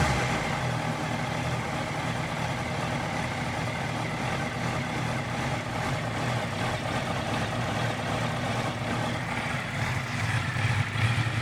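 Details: 2018 Honda CBR650F cold idle with an uneven, lumpy beat of about two pulses a second, wavering rather than steady; rough idle on cold start, cause unclear.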